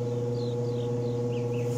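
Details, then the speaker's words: Maytag Performa two-belt washer that won't wash or spin: steady low motor hum with no agitator swish; motor runs but poorly adjusted motor belt tension lets belts slip and tub doesn't move. "vamos a activarlo con el desarmador y mira ahí no se mueve casi Mejor dicho no se mueve nada ahí y el motor Pues sí está prendido"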